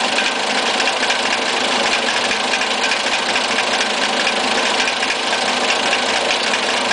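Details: Fiat Siena 1.6 with a rough idle and ticking noise: a light, fast tick through a hissy, thin, uneven idle. It is heard quieter from above the engine bay and louder from under it.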